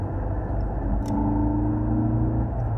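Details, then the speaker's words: Ford Focus ST accelerating around 3,000 rpm, heard in the cabin: heavy booming drone with a steady low tone; intake manifold noise piped into the cabin by the factory sound symposer, before its delete. "that drone that kind of noise that starts coming in and that's because this car has something called a sound symposia"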